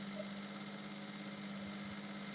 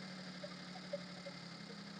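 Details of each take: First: Maruti Suzuki Alto, engine bay, before repair: after start the engine stays raced at high rpm that should drop but doesn't, even after restarting; steady even hum at raised speed; high idle. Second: Maruti Suzuki Alto petrol engine after fixing over-racing high idle: restarted, settles to about 750–800 rpm, low steady hum with even beat and faint stray ticks; normal idle.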